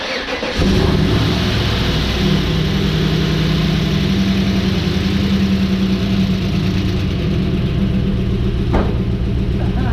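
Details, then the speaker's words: 1994 Pontiac Trans Am LT1 V8 freshly rebuilt after spun No. 5 rod bearing, first start on engine stand after rocker adjustment: fires quickly, idles on all 8, light rapid ticking from lifters rattling at first while pumping up. "Hitting on all 8, no, nothing missing. A little bit of rattling lifters at first."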